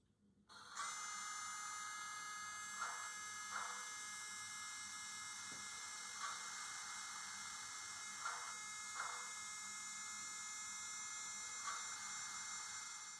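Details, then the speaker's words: MTH HO scale Erie Triplex 2-8-8-8-2 model locomotive sitting at idle: a steady, very loud high-pitched whine with hiss from the smoke unit fan; owner suspects the fan drive shaft needs lubricating. "now that was pretty obvious i think i'm gonna have to go in there and uh you know lubricate the fan drive shaft or something like that in order to quiet that down assuming i can even quiet it down"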